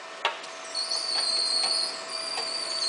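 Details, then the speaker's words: Conveyor dual drive with both motorized pulleys energized and brake set, belt cannot slip: sharp steady high squeal with faint ticks as the rubber belt slides over the stationary lagged snub pulley. "it is impossible to make the belt slip. In fact, you can hear the squealing of the rubber belt sliding over the lagged snub pulley, which is stationary."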